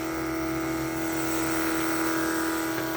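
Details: 1980 Trans Am nitrous kit fuel system: electric fuel pump flowing through the jet while setting nitrous fuel pressure. Steady, even hum with a constant mid pitch and no surging or rattles; pressure holds at 9 psi, no leaks.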